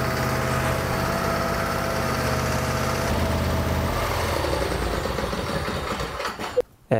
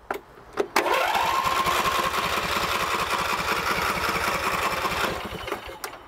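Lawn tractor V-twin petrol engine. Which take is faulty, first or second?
second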